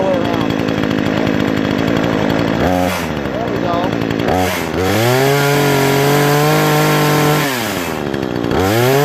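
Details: Brand-new Remington Outlaw RM4620 20-inch gas chainsaw after its first start: idles, then revs cleanly to a steady high scream and drops back smoothly each time; running healthy.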